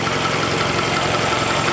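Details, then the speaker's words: Car low on oil (at the bottom mark) after feeling odd while driving home. Fast, steady light ticking over an uneven idle, likely top end; owner suspects a collapsed lifter or damaged valve, cause unconfirmed. "so something got damaged somewhere it could be a collapsed lifter"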